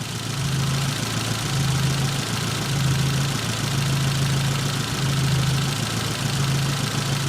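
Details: Nissan 200SX S12 dual-coil engine on exhaust coil only: steady idle with slow even swell about once a second, no stumbles or dropouts; clean firing, intake coil suspected bad by comparison.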